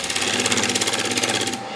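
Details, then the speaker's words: Wet, defective wood closed-form bowl on the lathe, scraper lightly dressing the surface: rapid, even chattering buzz that stops when the cut ends, caused by cracks in the wood. "those little shutters you can hear is because of those cracks"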